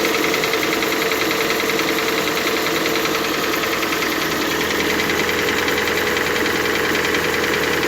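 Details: Cold-start knock on a Hyundai/Kia G4NA engine: a fast metallic clatter, about three or four a second, rides over the cold idle.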